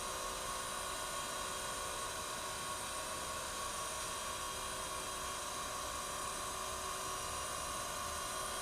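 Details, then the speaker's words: Taft Peirce Model 200 hand feed surface grinder with Walker 6x12 electromagnetic chuck, spindle started up: a smooth, steady high-pitched hum with no knocks, roughness or pitch wobble; spindle running nice and quiet, normal. "Let's start it up. You can see the spindle is nice and quiet."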